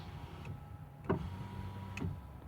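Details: 2006 Ford F150, 5.4L 3V 4x4, front passenger window: a quiet, steady motor hum as the glass goes up, with light switch clicks and no grinding; normal operation. The fault is in the driver's window master switch.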